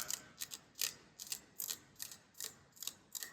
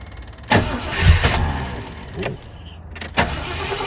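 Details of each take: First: Rover P6 3500S V8 rocker shaft: sharp scratchy clicks as a finger drags across deep worn ridges; rocker shafts worn out and scrapped. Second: Rover P6 3500S V8, first start in a fortnight on a cold 8°C morning, with choke and an electric fuel pump. Brief crank, clean catch and an even, fast choke idle; the exhaust sounds fruity. Normal cold start and idle.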